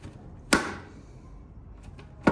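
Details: Harley-Davidson Roadster with a metal bang over bumps, first suspected as suspension or a loose brake caliper. It turned out to be the loose fuel tank striking the frame, heard as two sharp, isolated metal thumps about two seconds apart.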